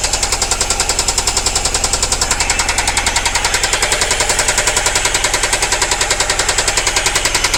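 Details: Nissan Primera P10 with SR20 engine: loud, sharp, very regular knock about two and a half times a second hammering over the idle; strong engine knock.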